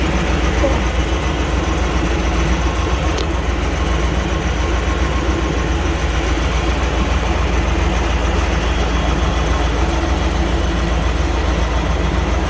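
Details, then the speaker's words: 1998 Chevy C1500 just after the clogged fuel filter was replaced to cure a crank-no-start. Deep, steady, even idle with no stumble, miss or hunting. Normal, healthy idle after repair. "Oh, it did good that time. Alright, so we got it running."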